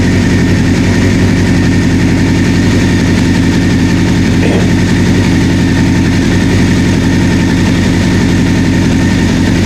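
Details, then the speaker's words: 1984 Honda CB700SC after no-spark diagnosis and fuel to carbs, first start, warming up; smooth, even idle with steady low beat and clean top end, no knocks or misses; normal idle. "man it sounds good got to keep warm 7,000 RPM"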